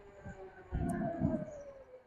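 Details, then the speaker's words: Amyet V9 G60 e-bike with stock brakes, owned a few months, while riding: thin, steady mid-pitched squeal for about two seconds as the brakes come on, over faint low rumble; loud enough for people to notice; weak stopping power; disc brake squeal. "I don't know if you can hear that, but the brakes like squeak. So, it's really annoying and it's like really loud, so your neighbors are going to get mad at you."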